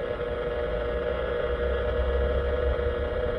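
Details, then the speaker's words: 10 m band receiver with base-loaded 27 MHz whip trimmed for 10 m on truck fender, driving past power poles: harsh steady buzz with raspy edge over hiss, not fading as with multipath; powerline noise source likely very close. "I'm just going to drive past to make sure it's not multiath. That's usually if it is, you'll you'll hear the noise fade in and out as you're driving, but I didn't."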